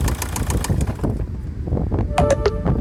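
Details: 1.7 CDTI (Z17DTL) diesel at idle: sharp regular knocks, about six or seven a second, over a rough idle; engine knock, source not pinned down, even ticking versus knock uncertain.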